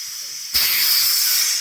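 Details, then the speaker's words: While venting residual CO2 line pressure after refilling a SodaStream bottle from a large tank, the bleed valve was opened too far. A sudden strong, steady hiss slowly fades as the line empties. Had the tank valve not shut, the whole tank could bleed out. "I hit it a little bit too I hit it a little too open a little too much now there's always a possibility if this didn't shut you could be bleeding out this whole tank"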